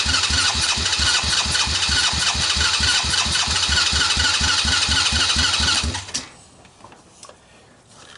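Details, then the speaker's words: China mid-size ATV with Kymco 125cc pit bike engine, cut-up harness, portable ignition, cold start in snow with choke on by hand: steady starter churn for six seconds with no firing; cranks but won't start, owner suspects stuck carburetor float. "i don't know why it's not turning gas i probably the float stuck in the carburetor i'm going to have to take it apart"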